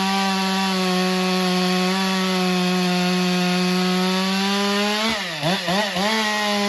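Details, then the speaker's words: Stihl MS462 chainsaw after service and calibration, quick test cut: strong steady high-pitched scream at full throttle, dipping cleanly as it bites into wood and recovering quickly; cuts normally, though chain afterwards looked dry of oil. "So we'll make a quick cut with it. Hopefully it changed decent. I didn't even look."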